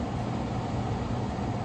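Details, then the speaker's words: Early-1970s Sears Coldspot 6000 BTU window air conditioner made by Gibson, first run in years after cleaning. Steady, even low hum with no knocks, rattles or squeals as the compressor and fan settle in. Not loud; runs normally. "Yeah, that's not loud at all."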